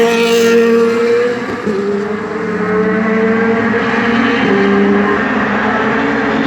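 V8 holds a high revving tone but the pitch wavers and the beat stumbles unevenly, suggesting a misfire under way.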